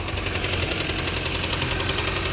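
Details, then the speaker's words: Audi just bought with a slight miss, at idle: sharp evenly spaced ticking about ten per second, from a worn belt tensioner pulley. "Yeah, look, it's just a tensioner pulley. Yeah, just a tensioner pulley."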